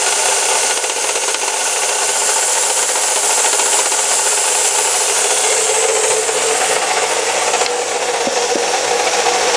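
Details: Chevy Cavalier 2.4L idling with a steady harsh rasping hiss from low in the engine bay; owner suspected water pump, later found to be a bad alternator bearing.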